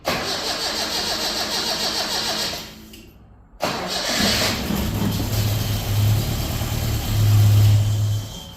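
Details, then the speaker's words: Datsun Roadster converted from carburettor to EFI with MS3x, cold start at 52°F coolant after sitting overnight: cranks about three seconds without firing, keyed off, recranked and starts to idle; insufficient prime pulse. "so what that tells me is that the prime pulse is a little on the not not so good side"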